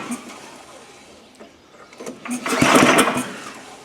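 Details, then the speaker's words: Gravely power brush sweeper, stored in a shed 10 years and saved from a scrapyard, on its first stiff recoil pull with clean oil: a short chattering turnover that fades with no firing, exhaust puffing smoke and probably rust; cranks but won't start. "Well, it's puffing smoke out already. Okay, great. So Now, is it smoke or rust? it's probably a bit of both."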